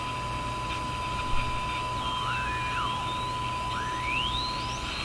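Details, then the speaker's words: Zenith G615 tube radio during alignment, tuned around 700 kHz: steady signal generator test tone with a second whine sliding in pitch, heterodyne from a local station on 640. "So you will hear my signal generator tone, but you hear that other whine. That whine is a heterodyne from a local station, 640."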